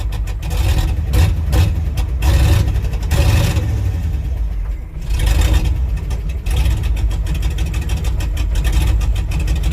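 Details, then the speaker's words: International truck V8 on a cold winter start after a rebuild, not yet warm and not running on all eight cylinders: a loping, uneven, surging idle; owner suspects the carbon core spark plug wires, and the carburetor also needs adjusting. "it won't run on all eight cylinders and I really I'm down to the point where I believe fully it has to do with the spark plug wires"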